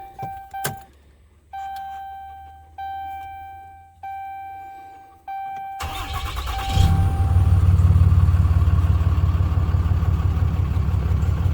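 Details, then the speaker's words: 2012 Ram 2500 6.7 Cummins diesel after replacing the failed alternator: clicks and chimes, then a steady, even idle. The earlier whining is gone and voltage is back up to about 15 V from about 10 V. "Oh yeah, it ain't got the whining noise or anything anymore, so we done what we were supposed to do, y'all."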